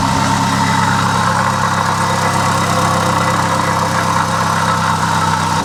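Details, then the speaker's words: Vauxhall Corsa at idle needing head gasket work; rough, gritty grinding, wearing noise from low down in the engine, suspected to be the water pump running dry. "so hopefully you can hear that kind of grinding wearing noise coming from down here somewhere"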